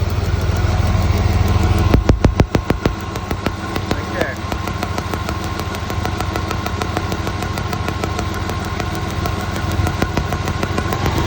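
Petrol engine idling unevenly with a stumbling, lopsided beat and sharp snapping clicks from a misfiring cylinder.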